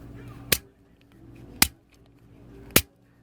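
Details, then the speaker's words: Piezo ignitor from an Atwood Wedgewood Vision RV stove, clicked after being repaired and reassembled. Three sharp, crisp snapping clicks about a second apart; it sparks properly. "And it sounds like it works right."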